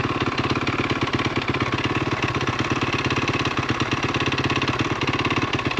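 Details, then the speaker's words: 2013 KTM SX-F 450 with snow kit, electric start, reportedly burning oil: fast idle with a sharp, regular metallic knock under every firing pulse from deep in the engine; owner suspects a low-end rod bearing, unconfirmed. "that sounds like a low end problem not top end problem i'm guessing it needs a rod bearing they did say it was burning oil too"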